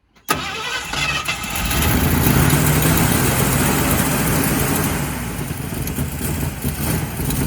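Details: 1965 Ford Fairlane first started after long storage, with a new gas tank and sending unit fitted and the engine flooded on earlier tries. It cranks, catches and settles into a ragged, uneven, lumpy idle; rough running, cause unconfirmed.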